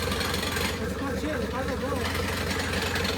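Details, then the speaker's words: 1984 Mercedes 380SL with swapped turbo OM603 diesel, just after first start, in neutral, throttle not connected: loose clatter at idle about 220 knocks a minute, a little uneven; idle speed not yet adjusted. "Let me adjust the idle so it can sound better."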